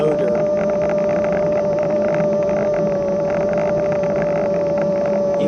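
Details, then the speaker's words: Kugoo S1 Pro electric scooter on its second ride, in third speed mode; strong, constant mid-pitched hub motor whine throughout over wind rush, cause not identified. "whines a lot does a lot of whining"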